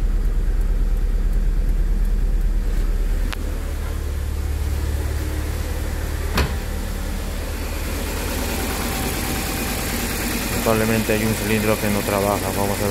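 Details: Mitsubishi Cedia with 4G15 GDI engine, cold start: the idle is uneven with a lumpy, stumbling beat and wavering pitch, and a cylinder misfire is suspected but not confirmed.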